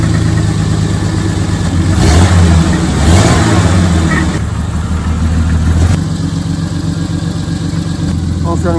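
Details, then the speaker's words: 1990 Jeep Comanche Eliminator six-cylinder after new spark plugs, wires, cap and rotor: rough, uneven idle with lumpy, stumbling beat, runs better but still apparently down a cylinder; owner suspects low compression, compression test next; misfire at idle. "she does run better she's still not doing great well possibly down a cylinder"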